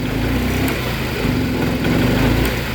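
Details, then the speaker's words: Yamaha Mio M3 scooter: idles steadily at low rpm but swells only slightly when throttled, bogging, sputtering and powerless; fuel spray from the injector line was weak, and a faulty ECU was found as the cause. "nah pada saat dia start di RPM bawah dia langsam ya teman-teman dia stasioner akan tetapi begitu saya tarik gas dia akan ngempos berebet ya teman-teman ngempos tidak bertenaga"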